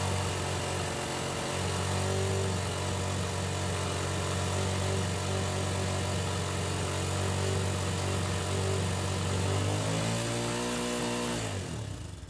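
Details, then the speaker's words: Honda XLR 125 (JD04) single, restarted after 5 years stored, idle adjustment nearly closed: revving steadily well above normal idle with a fast even beat that drops away as it shuts off; idle set too high. "Bon, on a ralenti très très haut, mais on démarre. Yes. On a réussi à démarrer la moto."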